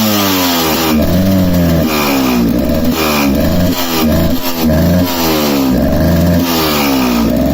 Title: KTM EXC 300 2007 running incorrectly/misfiring [Swedish]